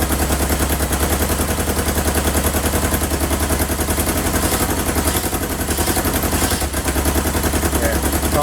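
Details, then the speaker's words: 1977 Kawasaki KZ650 B1, carbs not yet synced and airbox off: loud, lumpy idle at about 3.5 pulses a second; one cylinder is not firing, with one exhaust pipe warm and the other cold. "hopefully get these carbs synced but it sounds like a cylinder isn't firing yes this this pipe is warm this pipe is cold"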